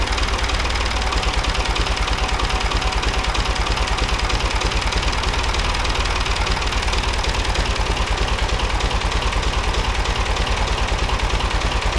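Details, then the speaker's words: David Brown 880 tractor, AD3/55 diesel, after fitting replacement inlet manifold from a DB 885 for cold start system, checking for air leaks: steady, even diesel clatter at settled idle, regular firing, no misses or knocks; healthy. "so we're going to fire it up uh make sure that you know we've got no air leaks in it and everything's working good"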